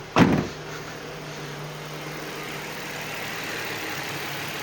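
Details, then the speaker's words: Nissan 350Z-family V6 (G35/FX35/Murano), warm and idling with the auxiliary belts removed: one sharp thump, then a smooth steady hum with no knocking or ticking. Engine is fine; the earlier knock was blamed on pulley or tensioner play. "It's warm and it's running perfectly."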